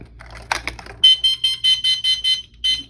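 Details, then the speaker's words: Enhance Mobility Mojo automatic folding scooter that died after hitting a bump, now fitted with a new controller, wiring harness and LCD: about eight crisp high-pitched beeps at roughly three a second; controller fault beep because the motor and brake are disconnected. "It's beeping because there's no back end on it."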